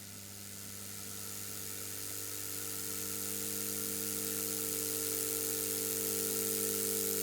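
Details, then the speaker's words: Ozone generator: 11,000 V transformer with a fan at one end, two mesh pieces and an acrylic tube, ramped up. Steady mains hum with fan hiss, growing louder and fuller as voltage rises; normal running. "This is an 11,000 volt transformer, and you just push the air through and it fills the room with ozone. You might be able to hear it on the microphone as I ramp it up."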